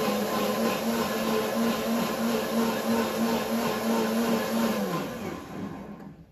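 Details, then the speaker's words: New WantJoin commercial blender, soundproof shield closed, ice crush mode, 8-second program: steady high motor whir holding pitch through the ice, then a clean spin-down; healthy. "then I think the best thing would just be ice crush and then the start button and as you can see here it's only going to take eight seconds"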